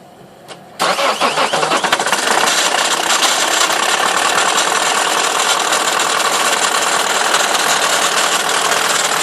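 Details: Toyota Corolla E12 2.0 D-4D diesel cranks and catches within a second, then idles with a loud, bright rattling clatter; owner asks what the strange start-up noise is, cause unidentified.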